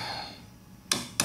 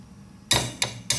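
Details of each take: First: Distributor cap removed from a carbureted engine, looks brand new but has a hidden crack: about seven sharp taps in three seconds giving a dull tinny 'ting' rattle instead of a solid thud; tap test reveals cracked cap. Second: Replacement distributor cap, dusty but uncracked, tapped to compare with a cracked one: four sharp taps about a third of a second apart giving a solid 'thud' with no tinny buzz; intact cap.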